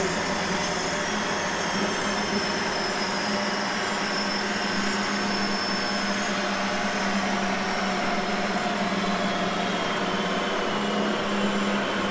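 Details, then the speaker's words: 1960s vertical milling machine running after being freed from seized: smooth, even motor hum with a steady low tone and no surging, though a slight clunk is noted that may need tightening. "sweet yeah that thing runs definitely some uh slight bit of clunk that noise just see if that's tightenable"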